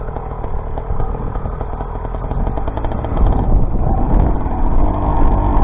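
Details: Rebuilt YD100 two-stroke, re-bored to 51mm with larger piston, running on E85/C85, after piston blew at ~13k rpm; steady crisp buzz pulling evenly, rising slightly with throttle under heavy wind rush; normal running.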